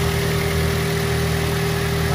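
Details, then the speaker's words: Smooth, even idle hum with no ticks, knocks or stumbles from a 2005 Daihatsu Xenia Xi 1.3 manual (non VVT-i), 190,000 km, with a clean engine bay and dry engine. Healthy engine, normal idle. "Suara mesinnya halus. Kalau AC-nya lagi ini paling dari suara kipasnya aja."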